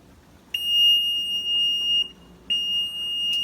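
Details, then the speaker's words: Maytag Neptune washing machine with bad control panel: loud, steady, high-pitched beep holds for seconds, breaks briefly, then resumes; panel unresponsive to any button, beeping constantly, error fault. "control panel is not responding it's just beeping constantly"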